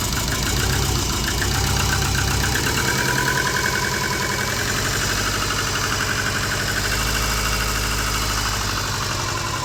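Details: Subaru Forester with big turbo and new stage 2 cams, run on engine stand outside: lumpy, loping idle about three beats a second, far too low; target 1500+ rpm for cam break-in.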